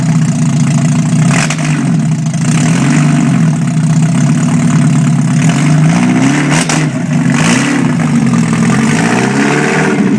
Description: 1991 Mazda Miata MX5 first start after full rebuild. Open header test.